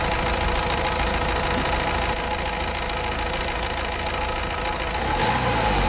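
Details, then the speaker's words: Honda Amaze diesel after codes cleared, check engine light off. Steady, even engine note with light rise in revs, no stumble or skipping; earlier misfire and vibration gone, engine quiet. "सकते जो missing का problem था हमारा वो solve हो गया है और चेक लाइट भी चला गया है"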